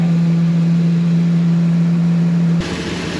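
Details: 2002 Ford E-250 van, engine just reassembled, first idle after start: steady loud hum near 180 Hz droning until shut off, no excess fuel smell; unidentified engine noise, source unknown.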